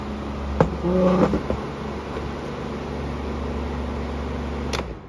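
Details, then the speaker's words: Amazon Basics F26-16A air circulator floor fan on high speed: loud steady buzzy drone plus a few handling knocks; vibration, source not pinned down, owner unsure if a little oil would help; cleaning and servicing planned. "'s not bad I don't know if a little bit of oil would take care of some of that vibration or not could go either way I don't know"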